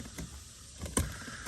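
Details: Infiniti G35/G37 hidden function self-test: soft wiper motor whir with a dull thump about every half second as the blades sweep; wipers working normally.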